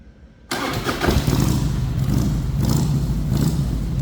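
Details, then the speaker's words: 1999 Harley-Davidson Heritage Springer, 22,896 miles, stock pipes with welded-on fishtail tips, in neutral: quiet, then starter catches into a deep, loping, even V-twin idle; healthy normal start and idle. "Some of the best things about this bike is the way it sounds. I absolutely love the sound of this bike."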